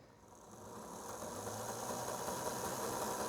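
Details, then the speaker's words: Old Athearn F7A model locomotive motor, about 50 years old, on a rolling road after cleaning and re-oiling the drive gears and bearings: small motor whirs up smoothly with light even ticking, no binding; normal running. "as you can see and and here it's running fine now so I can crank it on up and let it run a while"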